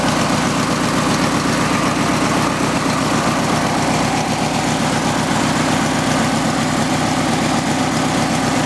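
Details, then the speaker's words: Craftsman lawn tractor started after sitting about six months, starter bearing dry; steady, even low idle with smooth pulse and no misses or shake, running on both cylinders, healthy. "the motor is not shaking too badly so I know it's running on both cylinders"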